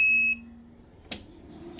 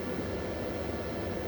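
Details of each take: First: Repaired UPS running with 225 V output: its cooling fan hums weakly and turns only sluggishly, with unit beeps and clicks. The fan needs replacing; overheating likely caused the UPS failure. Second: Repaired 24 V inverter outputting 230 V, loaded with a 600 W lamp, about 26 V and 695 W at 30 A from the battery: constant rushing fan noise with a low steady drone, no buzzing or crackle; running normally.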